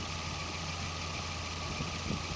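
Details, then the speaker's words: Volvo 940, engine had been dying at stops and hard to restart, after fuel pump relay repair by reflowing solder: steady, even idle with constant low hum, no stumble or dying; engine healthy. "one way to plug it in the hook done and it runs"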